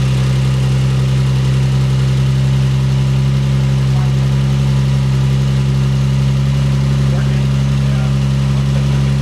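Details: Big-turbo Lexus GS300 first start after build, fuel pump power wire upgraded: steady smooth idle settling to about 1,000 rpm, 14.2–14.3 AFR, 38 psi oil pressure, no knocks or misses; healthy.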